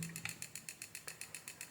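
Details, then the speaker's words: 24V 2A UC3842 flyback SMPS powered through a series lamp: rapid regular tick-tick ticking about seven per second with faint whistle; output only fluctuating millivolts, IC cycling on/off in reboot mode, indicating a short on the secondary side. "तो यहाँ पर देखें तो इसमें से एक अजीब किस्म की आवाज़ आ रही है, टिक टिक टिक विस्लिंग साउंड आ रही है।"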